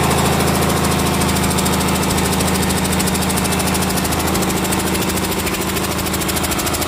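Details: Komatsu S6D125 diesel on test run after general overhaul (broken No.5 piston, spun No.4 conrod bearing; crankshaft, liners, pistons, conrods, bearings replaced; turbo repaired, FIP and nozzles calibrated); steady fixed-speed beat with faint air compressor hiss, no knocks; normal running.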